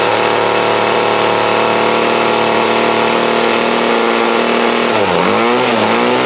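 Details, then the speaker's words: 2008 Troy Bilt TB20CS 31cc two-stroke trimmer after new fuel lines, fuel filter and primer and carb adjustment with a D-tool: high, steady buzz holds even, dips and recovers briefly near the end; runs strong, dead spot gone, still needs slight tweaking. "So now, with that, it still needs tweaked just a little bit, but she's running good, so now it's a win."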